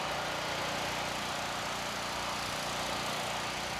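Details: Firman generator after carburetor cleaning and vent hose replacement, started on choke and now running off choke. Small single-cylinder engine holds a steady, even buzz with no surging or misses. Running smoothly.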